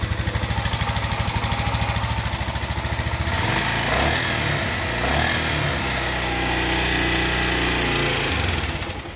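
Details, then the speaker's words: Suzuki GZ250 after head gasket replacement: single cylinder thumps at steady even beat, picks up cleanly on throttle, no misses; normal running, revs now. "All right, yes. Job well done. It actually revs now. Sounds freaking great."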